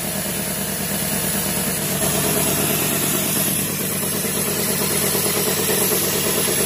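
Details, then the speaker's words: 1990 Cadillac Sedan DeVille after repairs, first running: steady idle with a quick, fairly even puffing tick about three a second; exhaust leak at the air tube at the catalytic converter, with anti-seize smoking off the manifolds. "plus it's a bear it's a bare exhaust leak like i said back there from that air tube in the cat"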